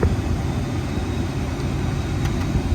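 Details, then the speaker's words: 1999 Ford F-150 5.4 XLT after replacing the blend door and actuator (previously blew only heat): blower cranked to max AC, full cold, full fan speed; steady even air rush, no rattle, ticking or squeal; healthy blower, cold air now returns. "I have hot air coming out now, and I'm gonna turn it to max AC, all the way cold, and crank it up."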